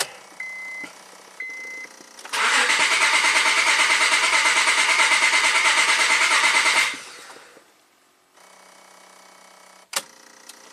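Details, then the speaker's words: 2006 Honda Accord V6, 205k miles, P0300 misfire at idle, plugs and coils replaced, cold day, cranking at full throttle with pressure transducer in a cylinder: uneven beat, one stroke per cycle lighter; one cylinder low on compression. "all right so now you could you could hear um clearly hear that one of the cylinders was a little low on compression"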